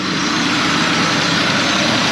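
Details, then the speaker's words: 1995 Honda Passport (Isuzu Rodeo), hard starting and power loss suspected from fuel system, fuel pressure measured about 38–40 psi as specified: starts right up into a steady even idle with no knocks or misses; normal idle. "Let's see if she'll start. Started right up."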